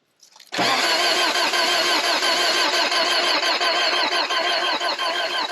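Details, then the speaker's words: 1979 Toyota 4x4 pickup with built engine, sat about two years, first start attempt: starter spins about three beats a second, keeps cranking without catching; crank no start, tank out of fuel. "i don't think it's going to start let's put some gas in it"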